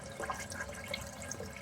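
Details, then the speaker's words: Kohler toilet, about 3–4 years old; steady hiss of water draining through the bowl with no shut-off because the flush chain was too short and held the flush valve open; fixed by adding slack to the chain. "So the sh chain was too short was holding up the shut off. See, there has to be some slack in the chain."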